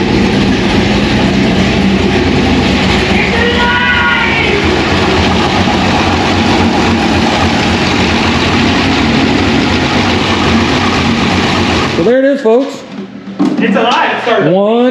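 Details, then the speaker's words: 2001 Trans Am WS6 with a 500 hp cammed LS1, first start after dyno break-in and reassembly, stock mass airflow sensor refitted: loud V8 with a lumpy, uneven idle chop from the big cam, steady and healthy. "yeah now you can hear the chop there's the chop"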